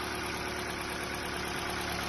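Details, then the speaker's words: Ford Sigma engine (New Fiesta), 121,000 km, first cold start: dull rhythmic knocking from low in the block at idle; piston skirt slap, expected to fade after a few minutes of warm-up. "barulho na parte de baixo saia de pistão de motor já tem outros vídeos no canal falando sobre isso tá"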